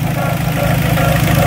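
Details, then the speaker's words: 2003 Dodge Neon right after timing belt and water pump replacement: rough idle with a faint rhythmic rubbing swish a few times a second; owner suspects an overly thick timing cover gasket pushing the plastic cover against the belt tensioner. "sounds like something is rubbing inside the timing cover"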